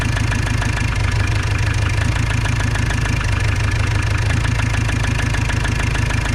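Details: Opel Vivaro / Renault Trafic 2.0 CDTi diesel at idle: light, uneven knock ticking through the clatter, unchanged after swapping injectors 3 and 4.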